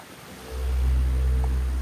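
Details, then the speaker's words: Electric fan powered by a Delta 2 Max power station, checked for the odd noise reported on 50 Hz output: a low, steady hum that comes up after half a second and holds even, with no buzz or rattle; the fan sounds normal. "Okay, normal lang yung tunog niya."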